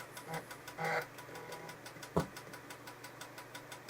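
Quiet background with a few short buzzy seek bursts and one sharp click, like a drive head stepping; access sounds normal.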